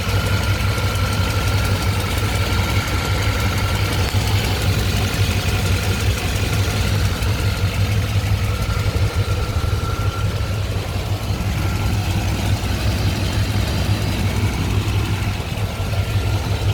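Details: Chevy 5.7 TBI 350 V8 pickup, 206k miles original engine, idling with a light quick tick over low rumble from a loose spark plug leaking exhaust; fixed by tightening the plug.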